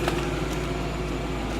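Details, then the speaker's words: 2005.5 Audi S4 V8 after a coolant leak hose repair, with the coolant reservoir sensor plugged back in during cooling system bleeding: a steady, even idle with a smooth low rumble and no misses; it is idling much nicer now. "you can hear me difference in the Heidel it's idling a lot nicer now"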